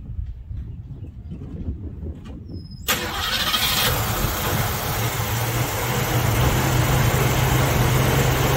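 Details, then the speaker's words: Ford Mustang (1966/67) 289 V8 automatic, cold start at about 70°F: quiet, then catches sharply into a loud, slightly uneven idle that creeps up; running grossly rich on first start-up with a very lazy choke. "it was running grossly Rich really really really really rich when we first started it up one thing we did notice is a very very lazy choke"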